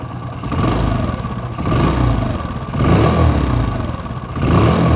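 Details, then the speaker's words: Old first-model Hero Splendor single-cylinder bike: harsh, uneven "khyas khyas" rattling clatter over the engine beat, rising with each throttle blip and persisting despite previous repairs; worn oil pump. "আশা করি বুঝতেছেন, engine থেকে খ্যাস খ্যাস খ্যাস খ্যাস sound আসতেছে।"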